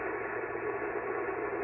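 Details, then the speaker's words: Ham radio receiver on a cobweb antenna: Pyramid PSV500 50-amp switching DC power supply switched on, harsh even static with faint warbling buzz, noise floor climbing; RF interference from the switching supply. "once again turn it on one more time you'll hear the funky noises when the switch kicks in and the power supply itself and you'll see noise climb again"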